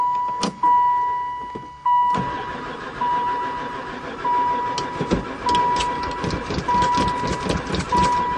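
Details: Van that has sat about four years and barely ran before: the starter cranks steadily in repeated bursts but the engine never fires, even with gas poured into the intake. The owner suspects no spark. Crank, no start.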